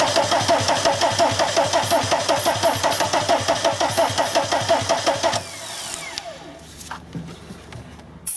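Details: VW camper van with a swapped TDI diesel engine, newly installed harness, starting spray used: steady cranking almost three compression beats a second for about five seconds, never fires, starter drops out; relay suspected, not confirmed.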